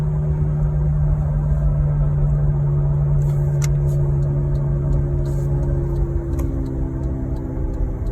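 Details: 2007 Saturn Vue 3.5L FWD: steady drone from about 20 mph that grows with speed, silent on jack stands at 40-50 mph, unchanged in park or braking; CV shafts, intermediate shaft and hubs replaced, tires rotated. Speed-related hum, source unknown.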